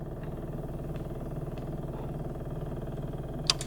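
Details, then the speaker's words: Cummins Onan RV QG 4000 (Microquiet) generator, which started but died, after a new carburetor was fitted: quiet, fast, even ticking hum from the electric fuel pump priming the empty float bowl before start. "So since we put a new carburetor on, our float bowl is empty of fuel, and so we need to prime it. So you just press this side of the switch. And we'll let that fuel pump fluid up into that bowl."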